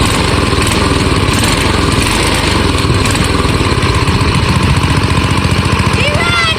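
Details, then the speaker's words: Old AMF snowblower single-cylinder engine revived after sitting over 20 years, running after being started with starting fluid: steady, even chatter with constant beat, no misses or surging; dialed in and running well. "We got her dialed in here. She's running pretty good. All right. Well, it runs good."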